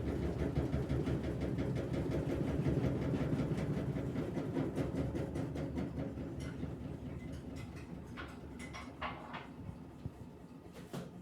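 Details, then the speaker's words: Electrolux washing machine on spin cycle: deep rhythmic thumping, nearly three a second, under the spin rumble after the suspension rod was repaired; a loose zinc rear cover and drain hose knocking against the cabinet during spin. "quando ela começou a centrifugar e eu escutei um barulho aí eu desci aqui atrás dela e vi aqui essa tampa de zinco e ela tá fazendo maior barulhão"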